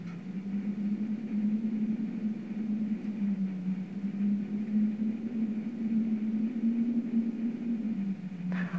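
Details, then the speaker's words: Plamen Tara cast-iron wood stove with damper fully closed: steady, slightly wavering low whistle from air drawn through the primitive glass air-wash inlet; adjustment and damper don't eliminate it. "а здесь при полностью закрытой задвижке остается только подача воздуха на стекло но за счет того что подача воздуха на стекло примитивная появляется такой свистящий звук вот послушайте"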